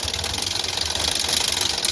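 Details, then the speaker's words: Maruti Suzuki Ertiga petrol, towed in with pickup issue, stalling when accelerator released, no start without throttle, check engine light on; at idle heavy vibration, harsh fast rattling chatter and misfiring; engine timing fault needing correction. "দেখুন গাড়ি আইডেলিং এ এখন আছে। কিন্তু গাড়ি প্রচুর vibration করছে। প্রচুর missing করছে।"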